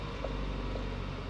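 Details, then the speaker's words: 2014 Ford Fiesta Zetec 1.0 Flex three-cylinder at 16 °C after finding the temperature sensor that caused rough first-start idle: quiet even idle hum, steady low beat, no hunting or stumbling; now stable. "Beleza. Estabilizada. Era nesse momento aqui, eu tocava arranque, ele não ficava em marcha lenta."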